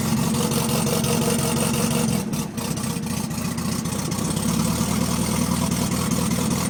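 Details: Beetle idling: uneven, lumpy idle with a stumble and dip partway through; engine misfiring and running rough at idle, cause not yet found.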